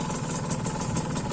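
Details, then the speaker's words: Used Ninja RR two-stroke idling with leaky aftermarket RCB exhaust: uneven lumpy burble and ragged rattle, now rough where it was smooth before; cause not pinned down. "kalau untuk sekarang untuk sekarang suaranya Udah udah lumayan kasar ya"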